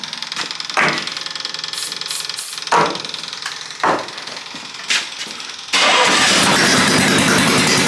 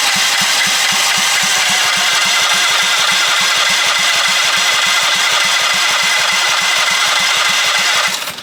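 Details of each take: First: Half-scale NASCAR Mini Cup race car after carburetor cleaning, starting fluid and reconnecting the fuel pump: a few cranking clatters, then it catches into a loud, raw, crackling bark, running with no exhaust fitted. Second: Half-scale NASCAR Mini Cup race car, first start attempt after fueling, carburetor not yet cleaned: the starter churns at about 3.5 turns a second without firing. There is no spark because the on/off switch of the two-switch setup was off.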